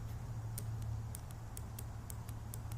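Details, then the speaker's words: Fuel injector #1 bench-tested with a 9-volt battery after replacing non-working injectors: faint crisp ticks about twice a second over low hum; injector clicks, working normally. "And right away, click. So we got so far we have 1 of 3."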